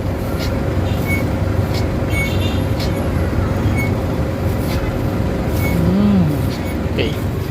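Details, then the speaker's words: Isuzu MU-X diesel after transmission reinstalled to fix a clutch-area clicking and vibration noise that vanished with clutch pressed: steady even low rumble at idle, no clicking or rattling; normal. "So wala akong marinig na ingay. Yung andar ng makina steady lang siya."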